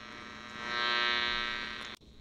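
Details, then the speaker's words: AM radio near Philips LED bulb, probably the noisiest LED tested: steady raspy buzz with dense comb of even overtones over hiss, dropping out near end; still picked up at some dial spots stepping back; minor when tuned to station. "I'd say that this is probably the most noisy bulb at all"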